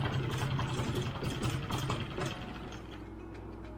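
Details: Barn-find Mercury 5 hp four-stroke outboard in a test bucket, after its water telltale was cleared with a wire: it ticks over at a steady, even idle with water splashing and the telltale flowing. It runs cleanly.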